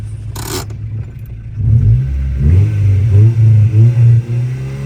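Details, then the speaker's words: 2000 Honda Civic Si (EM1) B16A with rebuilt head, GSR B18C1 transmission, Skunk2 intake manifold, on stock ECU: full-throttle pull through the gears, revs climb smoothly with a clean rising note, no knocks or misfires; normal. "so I am going to give you guys a pull though you know the best of my ability just on the stock ECU"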